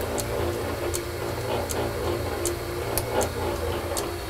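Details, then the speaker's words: Metal shaper being oiled during setup, with the main crank pivot completely remachined after it was wiped out: a steady run with a light, even tick about every 1.5 seconds and no grinding or knocking. The rack and pinion gearing runs healthy. "that was an item I had to completely remachine and fit it was completely wiped out and uh you can hear the gear rack gearing and uh pinion in there"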